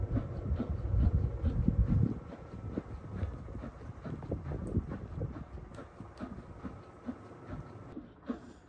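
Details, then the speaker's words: Black+Decker BPWM09W 0.9 cu ft portable washer ending the final spin of a rapid cycle; drum rumble fades as the tub stops while the pump keeps humming with light clicks draining water, normal. "Okay, so we're into the ending of the final spin for the cycle on this rapid cycle. As you can see, the pump is still working to push that excess water out, and the spin cycle is finished as the tumbler has stopped spinning."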